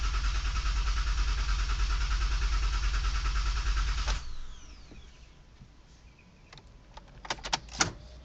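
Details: 2008 Honda Odyssey won't start: steady cranking around three compressions a second for four seconds without firing, then silence; crank, no-start.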